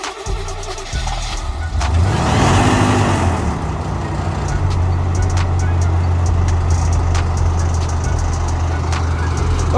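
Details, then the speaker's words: 1985 Chevy Champion G20 campervan, 350 V8, after new spark plugs and wires following years of sitting: a brief crank catches on the first try and settles into a steady, smooth idle; the rattle is from the unclosed hood. "she started on up and she's rattling because the hood won't close that's my fault but i'll get her close i'm just happy to hear her start up"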